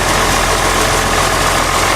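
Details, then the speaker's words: John Deere 6600 combine diesel, revived after sitting for years (clutch system parts replaced, belts cleaned, greased), cranked in neutral: even, steady rumble with no knocks, misses or hunting; normal healthy idle. "That old diesel runs like a champ."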